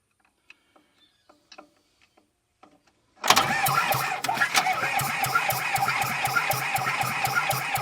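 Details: Small Komatsu dozer diesel, probably idle about 10 years, after the head was refitted, cranked with ether: steady rapid cranking at about four turns a second with odd uneven chuffs, reluctant to catch.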